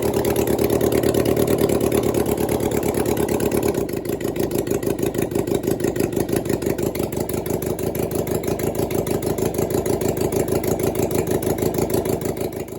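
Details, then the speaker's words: 1996 Suzuki GSX600F first start after an engine swap, carbs just fitted, on choke, possibly leftover fuel in the carburetors. Catches and runs fast and slightly uneven on choke, a steady busy beat with no knocks: healthy first run. "Now the carbs are on. We have choke already, so maybe has some leftover fuel in the carburetors."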